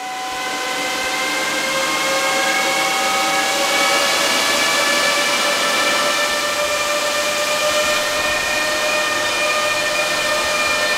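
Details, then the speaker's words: New Antminer E9 Ethereum ASIC miner (rated 2400 MH/s) at first power-on via two C13/C14 cables: loud steady rushing hiss with high whining tones creeping upward as fans spool up to full speed; normal startup. "Okay, I don't smell any smoke. I don't smell any burning or anything yet. It seems to be turning on now."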